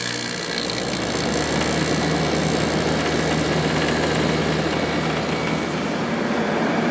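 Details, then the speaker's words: 2003 GE 12,400 BTU window air conditioner made by Samsung (rated 1,270 W, 11.7 A), after cleaning, drawing 7.3 A/727 W rising to 8.2 A/960 W; steady, even hum with no knocks or rattles as pressure builds; compressor running normally. "Let's let this run for a while and let the pressure build. The pressure sounds good."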